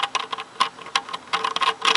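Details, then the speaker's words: 1995 Harley Sportster clutch noise, engine off: throwout/clutch release bearing turned by hand gives uneven, gritty clicking and feels rough; filings found on drain plug, bearing suspected worn out. "don't sound right that could be the issue right there that bearing's done"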